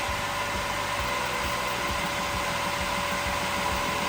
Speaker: All right, listen to that motor purr. Right now, it's on a low setting.